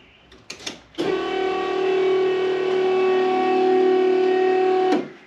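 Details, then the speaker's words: Toyota Supra fuel pump prime after fixing the wiring (a redundant extra earth had kept the relay closed): steady even whine for about four seconds, then a clean cutoff. Normal fuel pump prime after the repair. "so wait show you what it does so i've got it for four seconds you'll hear it"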